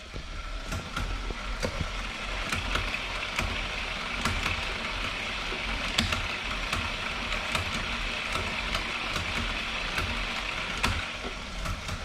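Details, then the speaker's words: Bike on turbo trainer, wheels turning: trainer hum with sharp clicks once or twice a second; owner suspects chain on the ring and gears not fitting right (poor indexing), worked fine weeks earlier: chain skipping noise. "can you hear that yep that's the gear the uh chain on that ring the the gears don't fit right it's so freaking annoying"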